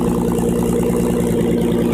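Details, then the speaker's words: 2004 Nissan Murano idling on a hoist, heard from underneath; loud steady idle with raw puffing rasp from the cracked header flex pipe on the downpipe, fixed by cutting out and welding in new flex pipe: exhaust leak. "sound you hear that that is our exhaust noise so we're going to check it out"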